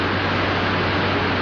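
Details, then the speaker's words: 1949 film: an electric generator purring, regulated to turn at constant speed as electrical loads vary. Steady, even low hum with soft hiss and no knocks or surging. Normal running at constant speed. "purr of an electric generator as electrical power loads vary as conditions vary throughout the minutes hours days weeks and months so must the power be regulated by watchful operators to keep the gener Ator turning at constant speed"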